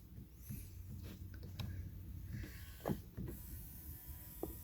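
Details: 2018 Ford F150 electric rearview mirror that had not moved left and right (dealer suspected the switch), after the actuator was pressed back into place; short, even motor hum travelling out and back, no grinding or skipping, working properly.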